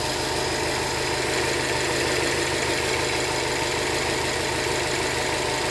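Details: Brand-new 2013 Subaru STI with 1,500 miles idling steadily with a light, quick ticking through an uneven low rumble; the owner asks whether this is normal.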